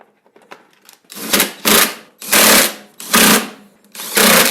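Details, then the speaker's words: Kawasaki FC150V engine on a John Deere 14SE mower: five quick recoil pulls, each a short whirring burst that dies without catching; no start from fuel starvation, black tar-like blockage in the carburettor main jet. "Oh my word. Well, I'm glad we looked. That would have never ran. There was just some blockage."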